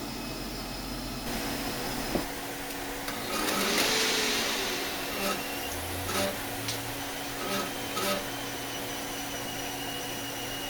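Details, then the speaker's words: FSP 300W PSU from 2007, likely group-regulated, powering a Dell OptiPlex 390: constant high cicada-like buzzing chirp over fan hum, swelling as load changes; noise appears to come from the main switchers. "now here i'm going to include some footage of this power supply powering a dell ultraflex 390 and you can just hear the noise that it makes"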